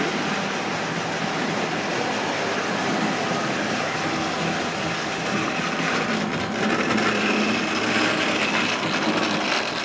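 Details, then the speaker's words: Hornby/Tri-ang Rovex Pacific locomotive creeping slowly: steady low growl with even buzz, amplified by the body; normal slow-speed motor noise, nothing wrong, they do it from new. "That growl you can hear is quite normal. You know, it's just just a motor sounds like that when it's running slow. There's nothing wrong with it at all."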